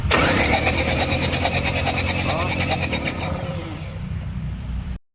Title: Mitsubishi Triton 4d56 crank but won't start. injector clogged.